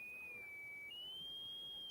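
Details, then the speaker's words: A Tesla coil gives a thin, steady, high resonant whistle near three kilohertz, a 1950s sci-fi sound that steps and glides in pitch as a hand or object moves near or inside the coil. "wow that's crazy and you're getting a a a sort of sci-fi 1950s sci-fi sound when you move it"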